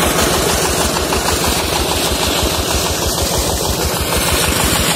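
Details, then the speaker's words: New 16 hp Dongfeng diesel engine driving a new 6-inch centrifugal water pump, bore 8 m deep with water at 4 m, irrigating rice fields; steady even diesel beat with strong low thrum under constant load, no knocks or misses; normal running under load. "untuk mesinnya sendiri nih Ini menggunakan Sumping nih dompeng 16pk baru ini"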